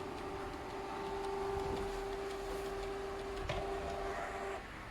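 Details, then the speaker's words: Canon inkjet printer running its printhead cleaning cycle, sensor covered with tissue: steady mid-pitched hum with soft mechanical shuffling; normal cleaning cycle. "นะครับผมพอเครื่องทำความสะอาดหัวพิมพ์เสร็จแล้วใช่ไหมครับผมมันก็จะขึ้นไฟสีเขียว"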